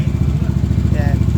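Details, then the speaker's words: Modified Yamaha NMax V1 scooter engine with power cam, idling after repair of an engine-noise complaint: a quick, even putter with slight vibration, considered normal for the modified engine. The noise is gone and it runs healthy. "Pero medyo maingay to kasi kargado pala ' kargado kasi to medyo medyo may iyanig yung makina syempre kargado eh. Ayan yan sa kargado normal lang may lagitech naka-power cam to eh."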